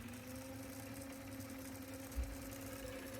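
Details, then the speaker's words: Sony TC-K777 cassette deck after replacing a failed transistor and readjusting the reel motor, in fast forward at about 134 Hz and 17 V. Steady, even hum with no flutter or scraping. Normal fast forward. "Now let me show you playback. 53 Hz, perfect. No issues, running well. All right, now fast forward."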